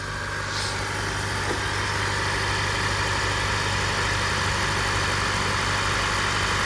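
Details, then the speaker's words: 2015 Honda Accord 2.4L K24 after replacing the VTC actuator, timing chain, guides and tensioner, on the second start after the new tensioner: a smooth, even idle with a steady low rumble and no ticks or rattles, running healthy. "oh my God that sounds so smooth wow yeah so every time you change your tensioner it's going to make a weird noise and then the second time it'll be totally quiet"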